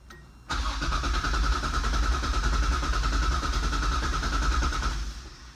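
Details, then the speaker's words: Nissan 280ZX budget drag car with a non-working fuel pump, started on supplemental fuel: the starter cranks and the engine catches with an uneven rumble for a few seconds, then dies. "well the pumps not working let me just see if we can fire it up on some supplemental fuel"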